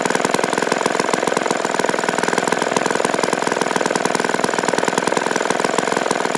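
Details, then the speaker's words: Vintage 1953 ATCO lawnmower small single-cylinder engine after servicing, fast steady even beat with no misses or knocks: normal running. "I used to do a lot when I was younger, especially on cars and stuff like that, and I used to love it, enjoy it, you know, but it was nice to get this run again."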